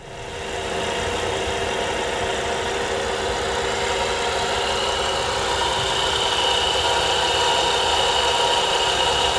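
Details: Volvo V70R idle: fast, fairly regular light ticking about three per second over a bright whirring background; noise disappears with the serpentine belt removed, so the alternator is suspected, probably a bad bearing; owner plans to replace the alternator.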